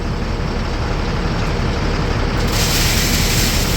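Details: 2004 International 4300 with DT466 diesel, idling after alternator and battery replacement: steady even low rumble, no knocks, misses or squeals; charging much better, not overcharging, engine runs smoothly.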